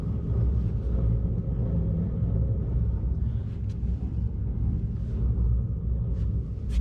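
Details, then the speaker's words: Trailer for 1972 14 ft Alumacraft row boat, wheel jacked up and hand-spun: low, continuous rough grumble with no clean spin-down; badly worn wheel bearing. "yeah so that's just this wheel spinning as you guys could see um that is really bad you can just hear the grumble to it"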